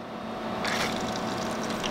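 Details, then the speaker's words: CPU liquid cooler pump hums steadily with irregular gurgling and trickling like air in the coolant after the pump connector is replugged; CPU hits about 100°C in BIOS and radiator fins stay cold despite warm tubes, suggesting poor circulation. "and I plug it back in, I can hear it gurgling a bit."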